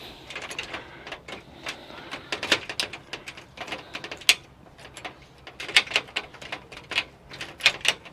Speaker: It's not locking. I can hear it clicking. That should be locking.